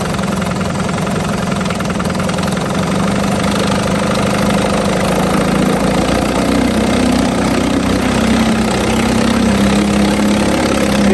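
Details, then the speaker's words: 1950 Johnson HD 25 2.5 hp two-stroke outboard running in a water bucket after carburetor adjustment: loud, uneven, lumpy burble that won't settle at the lowest idle speed; owner suspects the points need cleaning. Rough idle. "Well, I got the carburetor adjusted the best I can on this motor. I think some other day I'll have to clean the points because it doesn't want to idle the very lowest. But other than that, it's a pretty good runner."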